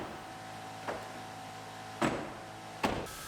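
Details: Steady electric motor hum with a few clean clunks as the glass hits its stops, checked after reinstalling the door panel on a 2007 GMC Sierra W/T; the power window motor runs smoothly and sounds healthy.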